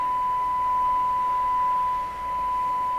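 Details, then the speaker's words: Ford Zenith 6MF780 car radio during IF alignment, first alignment step. A steady, pure tone of about 1 kHz holds with almost nothing behind it. The test tone shows the IF transformers are far off frequency. "let's hear it come on sing to me they're way off it's way off its way up that's why"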